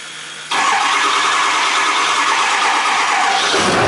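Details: Ford F-350 with a newly installed 6.0L diesel, after adding fresh oil and coolant. It cranks and catches within half a second, settling into a steady, even diesel idle with no knocks or odd noises.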